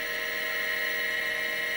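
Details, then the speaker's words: Seagate ST225 vintage MFM hard drive, initial test before a board swap, on an XT clone: it initializes and spins up with a steady high whine and faint hum, no clicks or scraping; normal noise. "so the drive just initialized it spins up and makes some noise that's perfectly normal"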